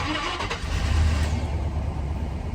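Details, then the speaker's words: 2001 GMC Sierra V8 farm truck after a new serpentine belt, all eight spark plugs and a fuel filter: short crank, then it catches right away and settles into a smooth, even rumble; normal start. "i just finished doing the fuel filter i'm about to start it up and we'll see if it actually worked"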